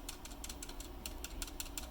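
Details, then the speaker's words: Keyboard with what is likely an authentic Cherry stabilizer pressed and released: sharp clicky rattle about twice a second, even when gently touched; compared against 3D-printed stabilizer. "i've got authentic cherry stabilizer in here i think and listen hear that rattle that's just me gently touching it"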